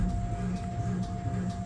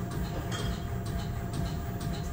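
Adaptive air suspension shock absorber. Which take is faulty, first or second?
first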